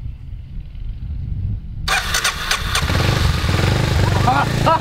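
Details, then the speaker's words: 2000 Kawasaki Super Sherpa 250cc single that sat in storage for years and would turn over but not start, started on choke: the starter whirs briefly, then the engine catches into a quick, even, healthy putter. "whoa it sounds good it's down super-sharp of lives now motor purrs"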